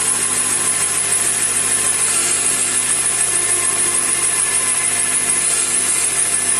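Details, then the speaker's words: 2005–07 Honda Accord power steering, worse on cold mornings and when turning: steady high whine over running engine, bubbles in reservoir; air drawn in through worn line O-rings, fixed by replacing and lubricating them. "in the winter time, I started hearing a little bit of a whiny noise. um especially in the morning on real cold mornings and the stirring as you turn it makes this whiny noise"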